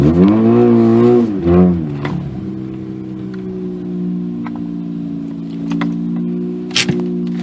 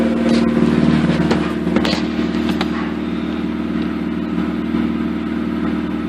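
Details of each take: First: 2004 Mazda RX-8 rotary, 105,000 miles, cold start at 62°F on old plugs before new coils, P0410 code, after throttle-body tinkering: brief rev, then uneven idle with occasional sharp pops. Owner suspects misfire; unconfirmed. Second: 2004 Mazda RX-8 rotary, 105,000 miles, with new BHR ignition coils, MSD wires and plugs, cold idle after about a minute: a steady even drone with only the odd faint pop, popping already reduced.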